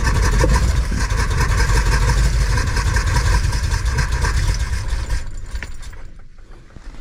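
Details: Van with a new carburetor and redone ignition, recranked after finding the fuel filter full and no leaks: steady, rough starter churning that never catches or speeds up. Owner suspects air in the fuel line, then possibly a vacuum leak; cause unconfirmed.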